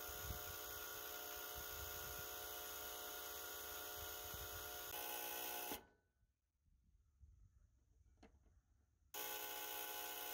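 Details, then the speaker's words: Residential heat pump reversing valve solenoid coil gives loud harsh buzz, starved of voltage by a bad thermostat; valve also leaking refrigerant at a broken capillary tube; both replaced. "so not only do we not have enough power going to this reversing valve solenoid coil that you see here but we also have a capillary tube leaking"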